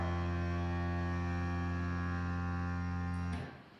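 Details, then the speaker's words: DeWalt-licensed Grabo power suction cup vacuum pump running normally. Low, steady, even hum with no rattle or surging, then a clean automatic cutoff; quieter than the Grabo Gen 2. "And if you compare the sound of the two, the Dewalt versus the Grabo, even the Gen 2, it's a lot quieter."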